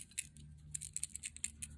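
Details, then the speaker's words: New aftermarket electric fuel pump for an 84 Honda Goldwing 1200, shaken by hand: faint irregular ticks and rattles from a loose piece of solder tumbling inside the pump body. "already something is loose inside I'm going to see what it is"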